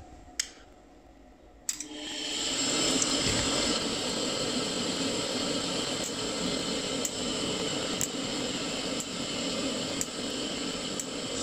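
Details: Glowworm Ultimate boiler with pilot not lighting, after pilot adjustment and cleaning at gas valve: click, then burner catches with soft whoosh and settles into steady even roar; lights cleanly first time.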